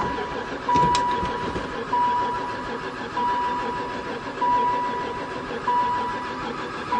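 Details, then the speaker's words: Van left sitting about four years, barely ran before, with fresh gas dumped in and owner suspecting no spark: starter churns in repeated pulls about every second and a quarter but never fires; crank, no start, cause unconfirmed. "I wonder if it's got any [Music] spark. Don't seem like it. Never fired once."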